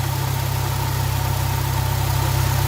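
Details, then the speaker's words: Supercharged Subaru BRZ/Scion FR-S/Toyota GT86 on E10 warming up after O2 sensor replacement for erratic air-fuel ratio: steady smooth idle, even low pulse, faint high supercharger whine, quiet and healthy; slightly audible from fender by front tire with hood closed. "Hey guys, just letting it warm up a little bit. She's super quiet, the supercharger."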